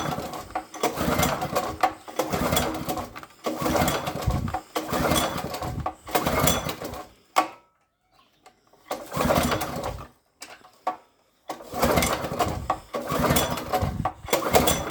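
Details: Pull-start garden cultivator (tiller): repeated short bursts of recoil cranking with pauses between, never catching into a steady run; cranks but won't start.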